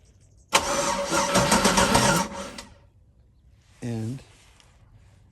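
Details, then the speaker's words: Chevy LS LQ9 3rd-gen engine swapped into Jeep CJ7, wiring harness to PCM being installed: with power to battery the starter spins engine about four turns a second for two seconds but it doesn't fire, then brief fuel pump whir. "if I give these things power to the battery, right, my starter will turn over."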